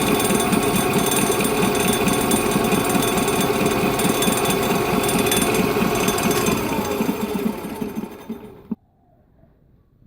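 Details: Bridgeport-clone knee milling machine head running with a harsh, rattling grind pulsing about four times a second; grinding noise in milling head.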